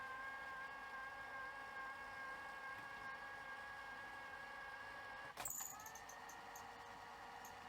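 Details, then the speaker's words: Sanyo VTC6500 Betacord Betamax VCR during fast-forward test, idler not yet replaced: thin steady high squeal under the quiet whir, then stops with a click; squeaky tape guide. "sounds like we have a squeaky guide which we can sort"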